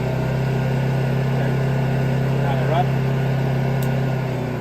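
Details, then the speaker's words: Honda EU2200i inverter generator, eco throttle switched off, no load: engine RPM raised, steady low drone with even unwavering pitch, no misses or knocks; normal running. "So I'm going to turn this off to show you how the engine RPMs come up, and I'll turn it back on to slow the engine RPMs down."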